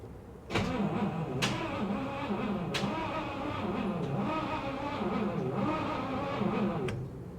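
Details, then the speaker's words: 1962 Cadillac Sedan DeVille, 390 cu in engine, parked 30+ years, first crank attempt: engine turns over sluggishly with uneven chugging compressions and a few clicks; slow starter cranking. "a little slow but it's there"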